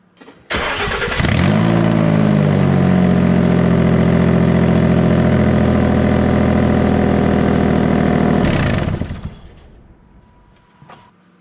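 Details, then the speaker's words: Nissan Xterra with both upstream oxygen sensors removed: engine starts and runs with a very loud, raw, blatting exhaust roar, exhaust escaping through the open sensor ports. "I'll fire this thing up so you can hear how ridiculously loud it is in here"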